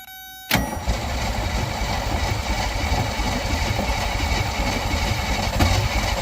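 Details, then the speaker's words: Old Willys Jeep engine, first start after sitting many years, fed fuel directly into the carb: catches after a brief crank and settles into a rough but steady low rumble, running on its own; normal running. "oh we have [Music] rage listen to that old sweetheart Now That's What I Call success"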